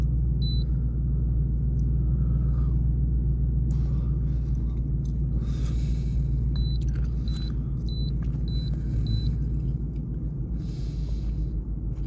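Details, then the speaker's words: 2000 Ford F-150 with check engine light, codes P0175/P0172 system too rich both banks, still warming up; low idle rumble with slightly uneven pulse under scanner beeps; rough idle; owner suspects aftermarket high-flow air filter, swapping to stock. "okay it's idling pretty rough right here I don't know it's also warming up"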